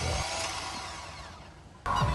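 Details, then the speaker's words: Chevy Astro van starter: starter whirs up then winds down freely without holding; bendix gear not holding, slipping bendix drive. "Here you can hear the starter is engaging, but it's not holding and just spins freely."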